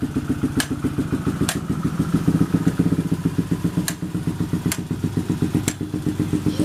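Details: Yamaha Jupiter MX (old model) motorbike test-run right after replacing the clutch plates: a steady, even thumping idle at about four beats a second with no rattle or clatter; the engine sounds healthy after the clutch job.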